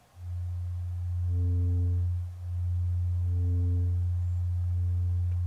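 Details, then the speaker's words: Miller & Kreisel V-2B subwoofer amp (STK-086) with a constant-hum complaint, before repair, with all electrolytic capacitors failing ESR: a 90 Hz test tone turns rough and buzzy in surges about once a second; it is distorting due to weak supply filtering (small 1000 µF capacitor). "well there's a 90 hertz signal going into it we're actually at the point of distortion with that little 1000 microfarad capacitor"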